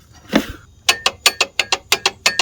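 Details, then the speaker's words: Volvo V70R/S60R A/C compressor, hand-spun on the engine: sharp, dry, ratchety clicks about five a second, from the worn compressor clutch, which was the source of the bad noise rather than the failing alternator. "minor update on that noise uh it wasn't the alternator which is still shot but what was making the really bad noise was this guy see this AC compressor right down here"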